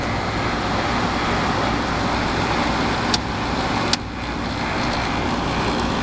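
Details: About 11,500 BTU air conditioner with full refrigerant charge, set to low or medium cool, getting cold quickly; steady even fan rush with compressor humming underneath and a couple of brief clicks: normal running, cooling fine.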